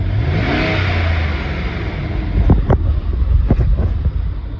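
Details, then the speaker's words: 2010-18 Ram 1500 V8 on the stock OEM air intake, before the K&N 63 series cold air intake install: deep, smooth revs rising and settling back to a steady rumble, no misses or rattles; normal. "Okay, so that's with the OEM air intake, so we'll get started on the install."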